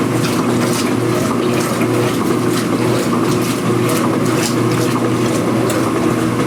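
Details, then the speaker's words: Speed Queen washer after repairing its loud agitation rattle and cleaning underneath, recorded with the microphone near the camera: an even swish and motor hum during agitation with no rattle or knocking. The machine is now quiet. "in a normal distance now I have the microphone near the camera nice and quiet especially when there's some Suds in SHO like this"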